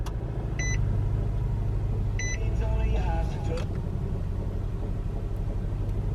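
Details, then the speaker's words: Nissan with 150k miles, cylinder 4 misfire (code P0304), codes cleared; freshly started engine idles with a low, uneven, lumpy rumble and visibly shakes, RPM less jumpy after clearing. "you guys can't really tell but it's shaking pretty good rpms aren't jumping as bad as they were when we didn't have the codes cleared but now that they're cleared it's definitely not as bad but you can hear it when we read the engine"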